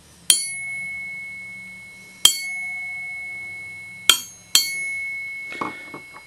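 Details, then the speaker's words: Wollensak T-524 mono 4-speed reel-to-reel tape recorder, about 1963: clear high bell-like ring, struck about four times, each fading over two seconds; the nearly 7-inch, well-balanced flywheel singing, which Wollensak addressed with a silencer part. "that's called flywheel singing. And it's caused by the fact that this is so well made. It's almost like a turntable. The way it's so well made and balanced, it rings like a bell."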